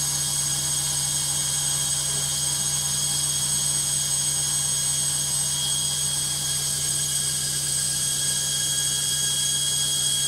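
Loud, steady high-speed roar with a strong hiss and a constant low hum, no distinct knocking; just an unusually noisy spin.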